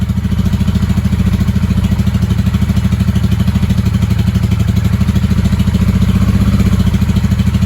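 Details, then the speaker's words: 1995 Honda Shadow VLX 600 (VT600CD) V-twin, long stored, choke on, air filter covers in place: lumpy thump runs evenly only with throttle held and won't idle on its own; owner suspects carburetor adjustment is needed. "still needs that gas running keeper running with the gas"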